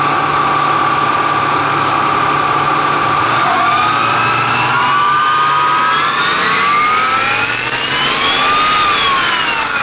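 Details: Ford Mustang V6: clean high whine over the engine rising and falling with revs like a turbo spooling; source not pinned down, owner thinks alternator is good.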